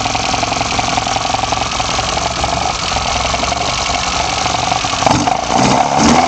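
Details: BMW 318i M10 engine on first startup after fitting sidedraft individual throttle bodies: a steady, even engine note picks up cleanly in two brief blips near the end, so it is running smoothly and revving normally.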